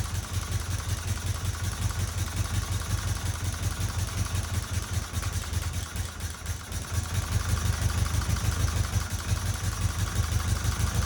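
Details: 1977 Fiat 124 Spider barn find, sat nearly 25 years, restarted with more squirted fuel after running out of gas, no radiator and water pump pulley disconnected: low, uneven idle with a lumpy, wavering beat and a dip partway through; rough idle.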